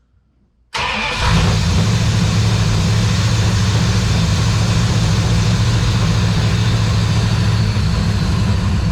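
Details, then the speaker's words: Aspen just converted to EFI with electric fan, starting after cranking hard: catches into a loud lumpy run with rapid knocking; detonation from over-advanced (hot) ignition timing, oil filter later cut open. "what is that knocking yeah fire it back up come out here and look listen to it"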